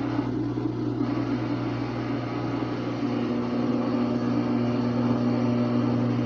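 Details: Brand-new (24 hours old) Samsung WA45T3200AW washer during calibration, tub not spinning: steady low hum with coarse gritty whir, same noise on and off early in spin cycle; other owners say it's the drain pump, normal.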